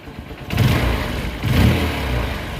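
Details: Honda motorcycle engine just refitted after gear-shifting trouble, silencer fitted and only two mounting nuts in: it catches and revs cleanly twice, then settles to a smooth, even run with no knocks, rattles or smoke; normal idle and rev.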